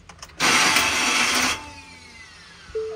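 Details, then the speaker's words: Ford F450 Power Stroke diesel, cold, first start after new serpentine belt, tensioner and idlers: loud harsh whirring roar for about a second, then settles; never happened before, cause unclear. Abnormal noise at start-up. "Or that. What in the hell? This is literally the first time that's ever happened."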